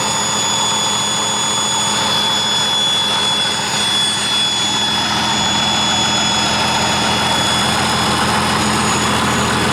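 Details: 1959 Caterpillar D337F diesel genset, about 959–960 hours, long stored in a barn, first run after revival, no load, barely up to operating temperature: steady even roar with constant high whistle, no knocks; runs well.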